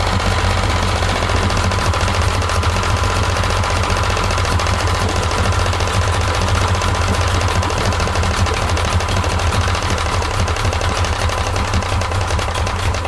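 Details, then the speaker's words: 1995 Yamaha 50hp (62F-80) two-stroke carbureted 3-cylinder autolube outboard: rough, rapid clattering with an irregular knocking tick over a low drone, just as cooling water starts circulating. Bottom cylinder feels coldest; cause unclear. "Kuuluu täältä jostain. Ihan niinku joku mekaaninen nakutus. Kuulostaa nyt hiukan oudolta."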